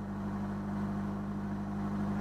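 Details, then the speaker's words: Citroën BX 16 TZS automatic, hot start needing throttle: steady, even hum at a raised idle of about 1500 rpm with no misses or knocks while the automatic choke is on; normal fast idle. "donc là vous voyez elle monte à 1500"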